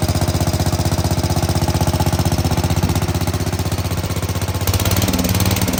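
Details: Sears Suburban 15 mower single-cylinder engine restarted after fitting a brand new fuel pump, fuel filter not yet reinstalled: loud even rapid thumping about three beats a second, no misses or knocks; normal running.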